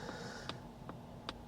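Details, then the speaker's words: Polestar 2 single motor (Long Range) cabin during a test drive in Sydney's eastern suburbs, left turn: steady tick-tock about every 0.8 seconds over quiet road hum; normal turn indicator ticking. "Hear that tick-tock sound of the indicator there."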